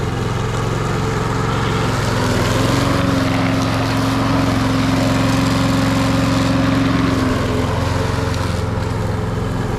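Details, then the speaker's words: Briggs & Stratton engine on an MTD Lawn Chief push mower, after no-spark repair and freeing a gummy stuck throttle, mowing outside: fast, even beat with steady drone, no misses or stumbles; running properly under load. "Well, I got it outside. We'll fire it up and try mowing some with it and see how it goes."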